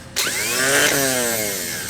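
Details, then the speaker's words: 1980s John Deere RX95 ride-on mower's rebuilt starter, Kawasaki FV460V engine, bench test: sharp click, then a quick rising whine as the pinion pops up and settles into a steady spin; starter works normally. "up and spinning perfectly so this is a good starter after all my bad Mia culpa and I'm a idiot anyway"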